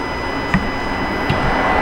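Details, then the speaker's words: 2018 Ram 5.7 Hemi with the check engine light on and cruise and Eco not working: the MDS deactivation solenoid on cylinder 7 gives two faint, crisp ticks over the throttle body hum; normal, unlike silent cylinder 1. "oh it is quite faint yeah you can hear seven but it is quite faint"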